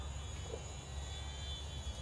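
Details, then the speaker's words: HobbyZone Sport Cub S 2 RTF electric RC plane on first flight, beginner mode, about 50% throttle: distant even motor hum over low wind rumble, no surging or rattle; plenty of power, healthy motor. "about 50 throttle is it fun yeah it's really fun this is great for anyone who's like never really flown a plane before very easy to fly plenty of power"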